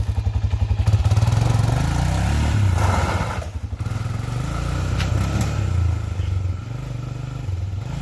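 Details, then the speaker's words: 1997 Honda 300EX quad test ride after new brake pads and oil change: single-cylinder thump pulls evenly, revs drop cleanly as front and rear brakes lock up, no grinding or squeal; engine and brakes healthy. "As you heard, Noodles locked up the front brakes, locked up the rear brakes. Sounded perfect."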